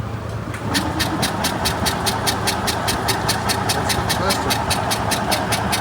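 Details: Single-cylinder Isetta with fuel in the carb, spark present and choke pinched off, cranked with a little throttle: starter churns steadily at a couple of beats a second but the engine never fires; cranks, no start.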